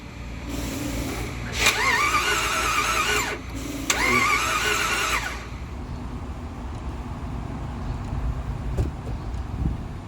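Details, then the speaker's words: Jeep Grand Cherokee 4x4 bought as-is at auction, battery dead and jumped: two steady cranking bursts of about three and one and a half seconds, engine never catches; crank no start, no diagnostic codes found, cause unknown. "all right the mystery remains we're really um coming up empty-handed except the fact that the car cranks is a really good sign"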